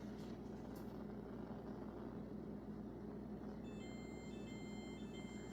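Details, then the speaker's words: KitchenAid dishwasher with clean light on: repeated high electronic beeps over a low steady hum, the leak alarm from water sitting in the base. "So if you have been hearing that sound coming out from your kitchen aid dishwasher, um it just means that something is wrong."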